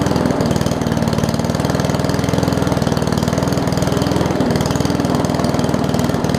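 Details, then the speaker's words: Murray push mower with Briggs Classic engine after gas tank swap and oil top-off, governor spring appears missing: slow, lumpy idle with uneven firing pulses and occasional stumble; idling too low. "all right so it's uh running okay i guess um the throttle here looks like it's missing the governor's spring so well if i just want to pull this throttle out a little bit more just so that it has a little bit more of an rpm to it"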